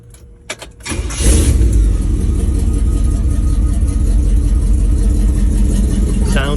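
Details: Restored 1949 Chevy 1500 pickup: brief crank, catches right away and settles into an even, deep, steady idle with no knocks or misses; runs fine.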